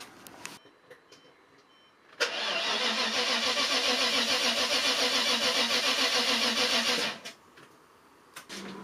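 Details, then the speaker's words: Maserati 3200 GT with V8 biturbo, weak battery warning shown: laboured, evenly pulsing crank of about four strokes a second dragging on for five seconds before it starts with a booster. Slow cranking from a weak battery. "cảnh báo rằng trong trường hợp pin yếu, máy tính tiền đã làm bất cứ điều gì và... Quả thực! người tăng cường thực sự đã phải rút hết can đảm để cô ấy muốn bắt đầu"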